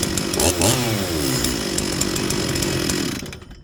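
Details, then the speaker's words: Stihl 044 chainsaw, rebuilt with new intake boot, impulse line, fuel line, filter, crank seals, carburettor and coil, after low-jet adjustment: strong steady two-stroke snarl, brief rev, then shut off; runs clean and even. "okay well we'll call that good again rapid weather changes here and uh often you need to tweak your your low Jet"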